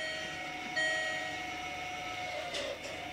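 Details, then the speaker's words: Land Rover Freelander 2 electronic parking brake winding back in after being put in service position during rear brake refurbishment (switch pulled up, ignition on); short steady motor whine then stops, normal operation. "and now the handbrake has wound itself back in and you're ready to [Music] drive"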